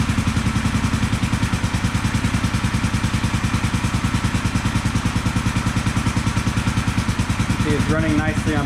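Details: 1974 Honda CB450, customer bike sat for a couple of years, after ignition timing set on both cylinders: even, steady firing beat at idle with no misses; both cylinders pulling, normal idle.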